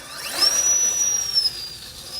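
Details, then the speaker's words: Axial Ryft RC crawler with a 2200kv Revolver 540 brushless motor: a thin, very high-pitched squeal rises and falls with throttle over quiet motor hum while crawling. "oh that 22's got a little bit of a squeal to it i bet that sounds horrible on camera"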